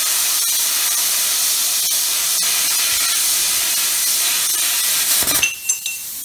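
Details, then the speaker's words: Plasma cutter cutting a rotisserie frame bracket after the current was turned up slightly: steady, strong hiss with no sputtering until the arc stops; clean, consistent cutting. "So now I've turned the current up slightly, or turned the voltage up, should I say. So you should see now how much better it cuts."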